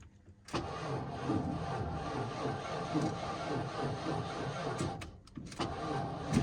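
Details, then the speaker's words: 1992 Ford F150 XLT after a new gas tank, fuel filter and fuel pump: sluggish, dragging cranking that never fires because the battery is completely dead; slow cranking from a flat battery. "looks like a short power let's go get another battery this thing's like completely dead I think it's affecting it"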